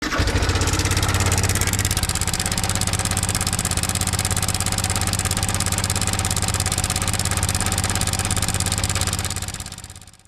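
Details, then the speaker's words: Idling Yamaha MT15 single-cylinder engine with a loud metallic clatter over the thump, from a slack timing (cam) chain caused by a faulty cam chain tensioner. "अगर आपका bike से इस type का engine नॉज आ रहा है then यह video आपके लिए है"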